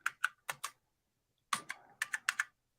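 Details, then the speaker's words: Apple IIc computer under test and repair: scattered key presses with dry, scratchy clicks instead of crisp snaps; crunchy, gritty keyboard keys. "so you see what let's see what rom is in here oh this keyboard is crunchy"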